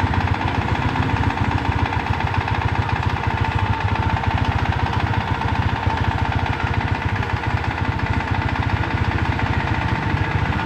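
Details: Honda Wave Dash engine running steady with a fast, fairly even tick, roughly three or four a second, over the idle; possibly connecting rod or another cause, unconfirmed.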